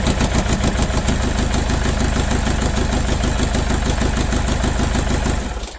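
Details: Mercedes OM611 diesel on standalone setup with factory Bosch ECU, second start: lumpy, uneven idle thump with a beat dropping out at a steady rate; rough running from one bad injector.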